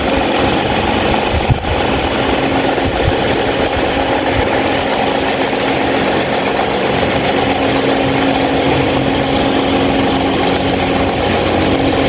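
A loud, rough, buzzing drone with a steady low hum runs evenly throughout; the fan is running far noisier than normal.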